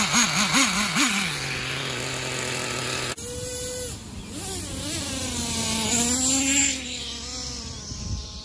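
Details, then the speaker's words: Traxxas T-Maxx 3.3 nitro RC engine, just bought, fuel tank has no fuel filter: screams up, then pitch drops away and cuts out at full throttle; too lean, high-speed needle needs richening. "cut out at Full Throttle that means the engine is too lean so the high speed needs to be richer"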